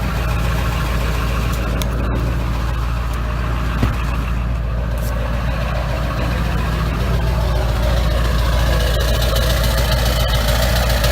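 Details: 1999 Ford F-350 7.3 Powerstroke diesel with new MBRP 5" turbo-back exhaust, cold start at about 25 degrees after cycling glow plugs: loud, steady, deep idle clatter, no misses or knocks; normal diesel idle.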